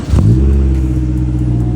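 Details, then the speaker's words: Honda S2000 cold start with carbon fiber duckbill; deep rumble swelling through a quick rev and easing back to a steady idle, clean, even and poppy: normal engine rev. "Oh my god, bro. I hope the audio's picking it up. It is beautiful, bro. I tried to record it and it doesn't give me this. It's very poppy."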